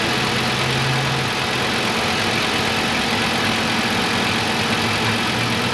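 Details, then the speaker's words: 2010 VW Beetle 2.5 after spark plug and ignition coil replacement, previously misfiring: steady, even running with no stumbles or missed beats; no misfires, shifts well, no codes. "Absolutely no misfires like before. It runs great. It actually shifts really good too."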